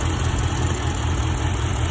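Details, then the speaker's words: Dodge Charger R/T at idle with the cylinder 6 coil pack disconnected during a coil test: the idle turns lumpy and uneven with a deep shaking throb. This confirms the cylinder 6 coil pack is bad, to be replaced. "there you go you hear that there you go see that okay guys so confirmation there that the call pack number six is bad"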